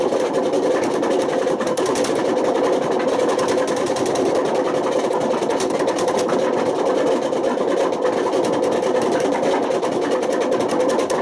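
Fast spin with a harsh, rapidly fluttering roar that never settles, typical of badly worn drum bearings.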